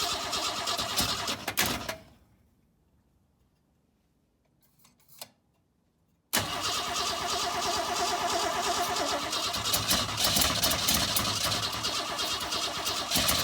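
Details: 1962 Ford Falcon not run in 25 years: fast, even starter cranking at about three beats per second, a pause, then more long cranking without the engine catching; no start, cause not yet found.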